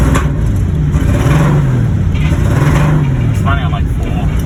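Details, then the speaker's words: Turbo drift car acquired as a non-runner: loud, lumpy idle wavering and stumbling unevenly, missing badly; cause unconfirmed, flooding or a loose airflow meter suspected. "it starts i'm though it [Music] sounds like it's missing real bad yeah"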